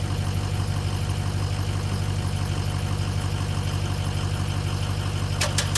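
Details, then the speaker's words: Toyota Tundra starting after tie rod end replacement and driveshaft reconnection: slow laboured cranking about three beats a second, starter dragging; weak battery, sounds like it will start. "okay that's a good sign the battery is definitely weak but it's sounds like it's going to start"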